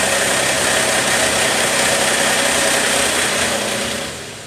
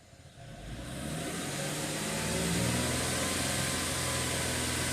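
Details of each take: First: 2013 Mercedes ML350 naturally aspirated, check engine light and extended crank: loud fast metallic rattle over cranking and start-up that fades away once oil pressure builds; cam phasers rattling from low oil pressure at startup. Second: 2013 Mercedes ML350 naturally aspirated engine starting after extended crank (cam timing codes), then settling to a steady even run with no start-up rattle or fluctuation.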